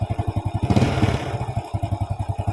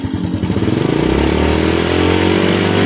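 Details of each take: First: Grand motorcycle after carburetor service and valve reset, kick-starts easily but electric start fails: lumpy uneven running that stumbles when throttle opens, not carburetor-related; ignition fault traced to faulty CDI, no stuttering after fix. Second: Honda Grand motorcycle after the ignition repair, revved through medium to high rpm: smooth rise and fall with no stutter or misfire, normal revving.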